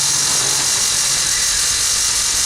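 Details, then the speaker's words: Cheap pump running: harsh, hissing rattle steadily under the pump's whir; owner suspects a couple of worn bearings and that the pump needs replacing. "the other thing is and you can hear the rattling down there I think we've got a couple of bearings that are fed on the pum not standing too"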